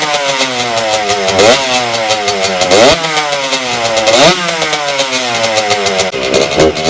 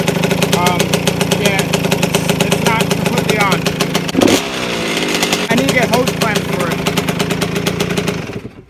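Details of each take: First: 1992 Suzuki RM125 two-stroke after carburetor cleaning, choke off, mixture screw adjusted: buzzy revs climb and fall, sagging and stumbling off the bottom, fine at higher rpm; others suggest it is leaning out. Bog at low rpm. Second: 1992 Suzuki RM125 two-stroke after carburetor fix, started with choke off: crisp revs blip up and settle cleanly; running healthy, only a rattle from the loose muffler front needing hose clamps.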